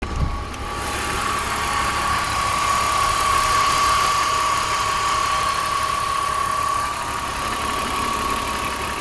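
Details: M54B30 engine in an E46 BMW 330Ci idling with a light, regular tick about four times a second over the engine hum; owner asks what the ticking noise is.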